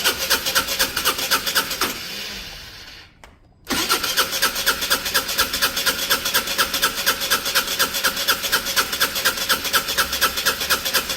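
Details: Peugeot Satelis scooter under restoration, immobilizer light flashing: starter whirs with even pulse, about two a second, for several seconds without firing; cranks but will not start, immobilizer suspected.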